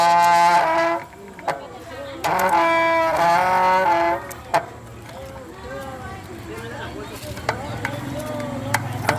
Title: mtb bicycle disc brake noise problem no copyright videos